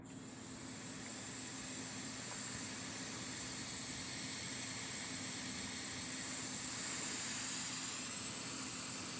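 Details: 1998 Nissan 180SX with the engine off, intake pressurized to about 15 psi by an air compressor at the MAF connection: steady high-pitched hiss of escaping air from a ridge on the intercooler. This boost leak causes poor idle and rich running under boost.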